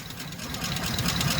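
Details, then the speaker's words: 2007 Chevy Express 3500 van V8 at idle with a little throttle: a quick, light ticking rides over a smooth idle and keeps pace with engine speed. No smoke; the owner had hoped it was a pulley. Sticky lifter tick. "Alright, she's still rapping away here. Give a little gas, Lou. Yeah, I don't know. That don't sound good. She ain't smoking."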